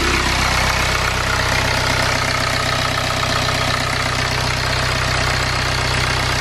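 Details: BMW N47 diesel engine, first start after timing chain replacement and reinstallation; earlier no-start was a flat battery. Steady idle with even, quick clatter and no misses or knocks; normal healthy idle.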